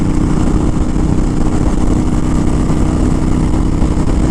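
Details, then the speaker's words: Honda Fury with Cobra PowrPro Black fuel tuner, 5th gear at steady 80 mph, estimated about 3,800 rpm: even engine drone under wind rush, no vibrations, stumbles or backfire; running smoothly. "It's on about steady 80 miles an hour, no vibrations and whatnot. So this is good. I don't feel any kind of jitterness, vibrations, nothing from the engine."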